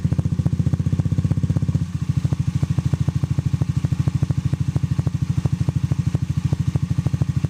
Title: ZOOMER X Engine Clicking Sound